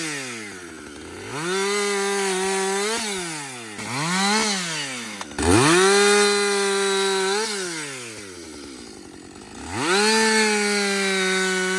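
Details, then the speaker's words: Husqvarna 562XP chainsaw after a dealer software reflash for dying when hot, stumbling and not starting: it revs up crisply, holds a steady high pitch through each cut and drops back cleanly between cuts. Runs strong and healthy. "so we ran out of fuel so we're gonna go ahead and put some more fuel in her we're gonna see if he can make a few more cuts"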